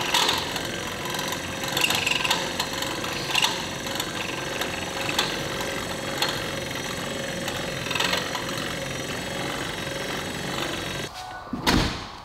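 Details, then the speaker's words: Truck windshield wiper motor, brand-new aftermarket replacement just installed: harsh rattly buzz with a gritty grind repeating about every 1.5 seconds as it sweeps. Noisy new wiper motor that will likely need replacing again. "So I'm sure you guys can hear that. That one doesn't sound too good."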